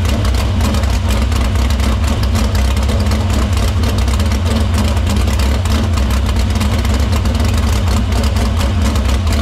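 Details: Dirt Silver Crown race car run in the shop after fixing the line, cleaning the filter and getting fuel through the pump and main lines to the barrel valve. A loud, deep, steady note throughout with no misses, knocks or surging. Normal running.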